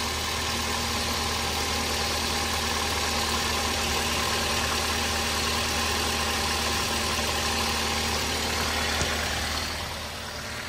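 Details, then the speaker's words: Toyota Avanza engine at steady idle: rough, uneven knocking of about four beats a second over the engine hum; timing chain quiet, worn pistons suspected but unconfirmed; engine to be disassembled. "Jadi suara tok itu e kemungkinan sih piston ya. Kalau kalau pertama tadi dihidupkan timing chinnya sih cukup ya, enggak bunyi timing chinnya. Cuma ini suaranya suara seperti suara pistonok gitu."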